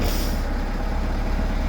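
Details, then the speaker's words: Four-cylinder car after replacing all four worn spark plugs and tightening two loose plug wires: low, steady, even idle rumble with no stumbles or puffs; it now runs smoothly. "So everything is snapped into place and tight, and man, it's running so nice and smooth now."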